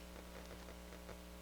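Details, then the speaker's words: Harman Kardon 330B stereo receiver, first power-up after restoration: steady low hum with irregular crackly scratching bursts in the right channel on FM; cause not confirmed. "i do have a little scratchiness coming out of the right channel"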